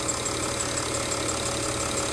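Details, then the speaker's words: Audi Q7 diesel at idle: constant airy hiss with soft chuffing as compression escapes past leaking injector seats, middle injector on nearside bank; exhaust gas melted the plastic rocker cover, causing an oil leak onto the exhaust. "it i can hear they're hissing i couldn't we've tried smoke testing if it wouldn't come up there's a bit of global eye so i'd say the injectors it's not too bad though"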